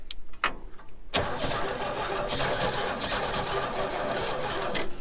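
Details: 1961 Chevy Bel Air 235 inline six, parked since 1981: a few stop-start cranks then a steadier, faster crank with some firing, not catching; improved after firing order corrected one position clockwise and push-button start wired to points and coil.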